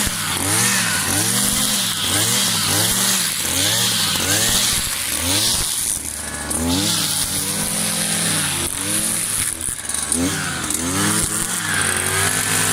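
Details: New Kawasaki TJ53E two-stroke brush cutter cutting tall grass: a high buzz rises and dips smoothly as it bites and recovers cleanly. Healthy running under load.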